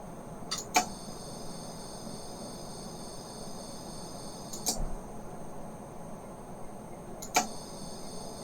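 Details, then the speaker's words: Accurascale Mk2B model coaches on an ABC braking section: thin, steady, high-pitched whine with faint clicks from the coach lighting; it is not noticeable on plain DCC track and stops when the coach is lifted; lighting reacts badly to ABC. "looking into it a bit further this whining noise turns out to be specific to ABC it's not at a noticeable level if I put the coaches in the engineer's yard"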